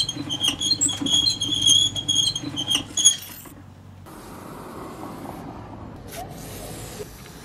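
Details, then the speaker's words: Wheel turning before spraying 3M multipurpose lubricant gives high, chirping squeaks about twice a second; dry, unlubricated axle and bearing rubbing, which wears the wheel, axle and bearing faster. Silent after lubrication. "เสียงเารนั้นนอกจากจะน่ารำคาญแล้วเนี่ยมันจะทำให้ชิ้นส่วนของล้อของเพลาของลูกปืนนั้นสึกหล้อเร็วกว่าปกตินะครับเพราะว่ามันเสียดสีโดยที่ไม่มีการหล่อลื่นนะครับ"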